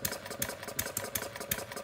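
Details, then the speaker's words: Homemade single-cylinder plumbing-parts gas engine (~0.875in bore, ~1.5in stroke, 7in flywheel, CD ignition), not fully cold, choke partly closed and smoking: fast buzzing run broken by loud uneven bursts about three a second; running rich on partial choke. "I see we're getting a little smoke out of here so we're gonna turn the choke so that is personally uncovering that hole to choke a little bit more"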